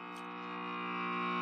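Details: Late-1940s Trav-ler tube radio with Loktal tubes, powered through a dim bulb tester before its recap: 60 Hz hum with overtones that grows as the tubes warm up. The electrolytics are due for replacement; the source is unconfirmed. Mains hum.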